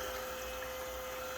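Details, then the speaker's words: Perkin Elmer 198072 furnace cooling system chiller running with glycol water, its hose looped back to itself; even pump whir under soft hiss of flowing water in the tank, like an aquarium, no knocks or surging. Normal circulation. "you can hear it in the tank kind of sounds like an aquarium fish tank"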